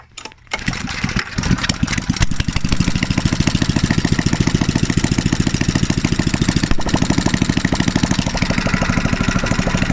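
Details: Mitsubishi 6.0 HP small single-cylinder engine bound for a tractor, with a new BPR5ES spark plug fitted: it pulls over, catches and settles into a steady, even firing beat with no misses or knocks. Normal running.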